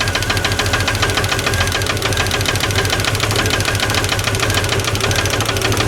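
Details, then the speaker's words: 1989 Jeep Cherokee XJ 4.6L stroker I6, valve cover off, running engine with rocker bolts backed off as a test: fast loose clackety clacking about three per second, excessive valve lash, noise changes. "Does make a different noise. That's a clackety clack clack."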